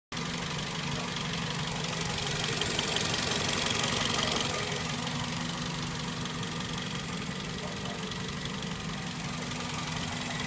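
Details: 2004 Toyota Celica GT petrol engine idling with a light, fairly steady tick, roughly three a second, over the running hum; cause unknown.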